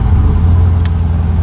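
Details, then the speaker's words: Six-speed swapped 1,000 hp Driftcat after the leaking part was swapped over: steady deep engine drone with no whistle or hiss by the pedals; the earlier brake-pedal hissing leak is fixed. "no more hissing noise coming from the pedal nice nice"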